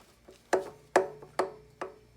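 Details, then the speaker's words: 2021 Harley-Davidson Fat Boy: sharp hollow clunks from the floating front brake rotors as the front brake is applied. The brakes work fine, so it is an annoyance rather than a fault. "when you hit the front brakes you're going to hear that clunk now having said that it's more of a sound it's more of an annoyance"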